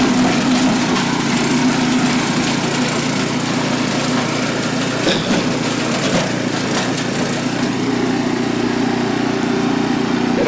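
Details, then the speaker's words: Renovated Troy-Bilt Horse tiller in low gear, tines set deep in rocky soil: steady buzzing engine beat with brief stone scrapes, running healthy under load; one belt squeal noted when hitting a rock, belt could be tightened a hair. "few rocks there make a make a pass coming back see that works uh working pretty good"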